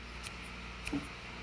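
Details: New clutch release bearing for an air-cooled Porsche 911, hand-spun before installation: near silence with low room hum and faint light ticks, running quiet and smooth.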